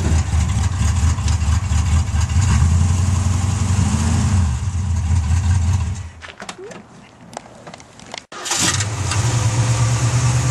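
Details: 1966 Ford Mustang V8 after replacing the points and condenser: runs strong and steady, shuts off, then cranks and fires right back to a smooth idle; running healthy.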